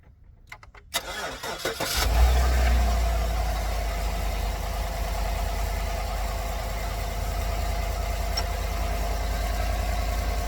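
Starter cranks briefly, engine catches within two seconds and settles into a smooth, even idle with no misses or knocks.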